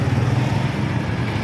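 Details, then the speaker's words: Yamaha Mio 125 scooter after budget connecting rod replacement: low, steady putter with no grinding or knock; internal harsh noise from cracked connecting rod gone, engine running smooth. "budget budget lang wala na yung gaspang perfect perfect nasa loob ang problema"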